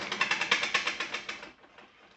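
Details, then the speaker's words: Troy-Bilt self-propelled lawn mower with Briggs & Stratton 725EX engine that just stopped: the pull spins it fast and evenly with no compression pulses or resistance; no compression, found to be a broken connecting rod. "doesn't sound like there's any compression so typically on these motors that's a sign of either a broken connecting rod or a valve seat that's um that's hung up"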